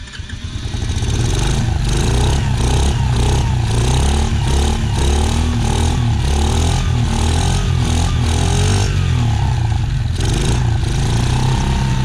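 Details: Dumpster-found Chinese 48cc quad with replaced fuel lines and new shutoff, started by jumping the starter solenoid with a jumper box: catches after a brief crank and settles into a fast buzzy run with throttle blips; running normally.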